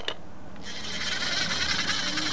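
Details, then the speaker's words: Restored and serviced vintage Altex Felton Crosswind fishing reel: steady high, fine even whirring as the handle turns, the normal sound of its straight-cut gears. "my God that noise is not gears or anything it's the straight cut gears as you know that's how they are that's how they originally work"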